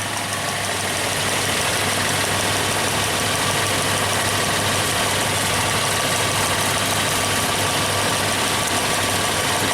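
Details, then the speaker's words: 2002 Suzuki XL-7 V6 at idle during ignition timing testing with pressure transducer and amp clamp: rough, uneven, loping stumble as one cylinder misfires, with the spark seen jumping. "Okay. Obviously a misfire. You got the spark jumping right there."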